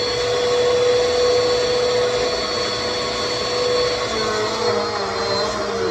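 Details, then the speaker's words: Bissell PowerForce 2191 upright vacuum, found dumped, washed out and reassembled: smooth steady motor whine at constant pitch, no rattle or grinding; motor healthy. "So, yeah, it works, though. It works well. I'm not noticing any visible motor issues with it at all, but yeah, we got a completely working powerful machine. Runs pretty well. It sounds really good, actually."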